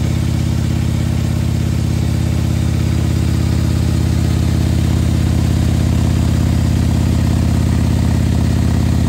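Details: 2020 Harley-Davidson Road Glide with 130-inch T-Man Performance engine, fresh build idling cold to warm up so the pistons expand before revving: even, steady V-twin idle, about 200 firm pulses a minute, no ticks or misses; normal idle.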